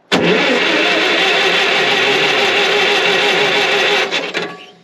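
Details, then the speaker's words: Ditch Witch R40 with Wisconsin V4, just converted from points to Hot Spark electronic ignition: steady cranking about three turns a second for four seconds, never firing. Owner first wondered about the coil; the ignition switch, which had been acting up, was bad and was replaced. "nothing oh no maybe the coil's bad oh let's see I'm where am I getting that yeah yeah that switch is bad Charlie thought it was bad it was acting up yeah I gotta get a new Switch"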